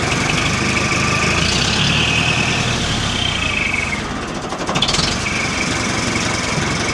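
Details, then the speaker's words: Warm Nuhvi tractor engine idling in neutral after cylinder-head re-tightening and valve adjustment: even chug, no top-end ticking, valves not knocking; runs well. "It's running well and the valves aren't knocking."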